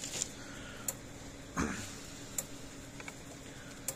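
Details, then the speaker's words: Stafix M20R fence energizer (same as Speedrite 2000R) after reseating internal connections: sharp, even click about every 1.5 seconds, about 9,000 volts output; pulsing properly, though a board fault is still suspected. "There we go, that sounds a lot healthier. And now I can actually hear it clicking, so something's wrong in that board."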